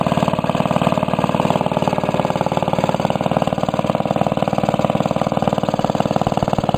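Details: Restored 1945 Briggs & Stratton Model WMB single-cylinder engine with a rope starter, run after repainting; even, regular chuff of roughly three per second, healthy and settled; normal running.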